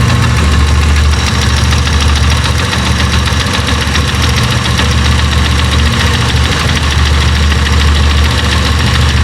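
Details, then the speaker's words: Italika Z-200 motorcycle idling with microphone brought close to the right side of the engine: loud, uneven rattle and knocking at low idle; worn clutch basket, replacement part awaiting fitting. "Suéltale poquito el acelerador. ¿Ya vieron como que truena algo? Pues ya escucharon el ruido, bandita, ya vieron de que pues es un ruido bastante grave."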